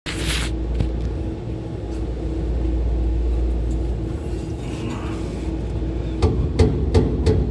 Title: kehe ru 10 condenser fans 1 and 3 bad bearing